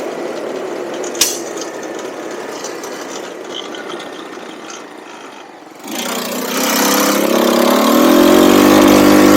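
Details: Cheap buggy's small engine, hot, riding after fitting a 120 jet; after a quiet lead-in it revs cleanly with a climbing note, no obvious stumble; normal running, occasional hesitation owner attributes to the pilot jet.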